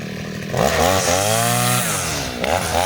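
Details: Side-mount two-stroke brush cutter with its carburetor fuel screw (under the carb) turned half a turn for string-line use, cutting grass: high, clean revving that dips briefly and recovers, no labouring; normal running under load.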